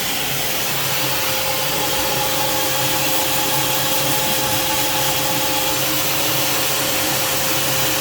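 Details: Alfa Romeo Spider exhaust after removal, cleaning and RTV sealing: steady airy hiss and fast puffing over the running engine, a joint still leaking slightly and needing more RTV.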